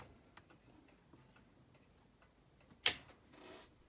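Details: Seiko 7548-700F quartz watch with front end reassembled during restoration: faint, light ticks in a near-silent room, with one sharp handling clack midway; the movement appears to be ticking normally.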